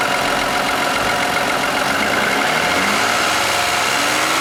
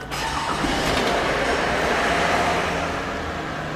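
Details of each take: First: Toyota Aurion with the oil light on and clean oil, recently started rattling: a loud buzzing whir that rises and falls with revs; oil pump whine from a sludge-clogged oil pickup screen. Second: Toyota Aurion that had the oil light on and a rattle, started: engine catches and settles to a steady run, no knock or rattle, oil light out; possibly slight water pump noise.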